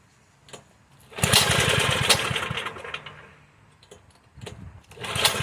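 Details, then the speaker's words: 1984 Troy-Bilt Horse 2412 tiller, Tecumseh HH60 single, sat for years, carb jet only briefly cleaned: uneven lumpy running, surging and sagging; carburetor out of adjustment, improved after mixture adjustment. "Sounds rough. Let's see if we can make any adjustments. If not, we'll take the carburetor apart and clean it."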